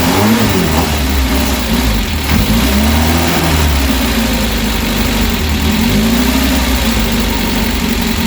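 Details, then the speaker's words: Freshly rebuilt Reliant Supervan engine ticking over on its own for the first time: even low rumble with steady beat, no knocks or stumbles, sounding the same as other known-good engines; normal idle. "that is ticking over on its own for the first time since I've rebuilt that engine and I cannot believe it it sounds just the same as all the others which is a good thing because obviously I know that the others are okay"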